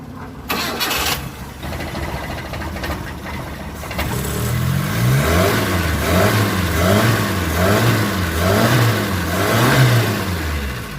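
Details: 2005 Mitsubishi T120SS that suddenly stalled and would not start, after ignition coil replacement: engine catches after a few seconds of cranking and settles into a steady, even run with a gentle regular pulse; starts and runs normally again.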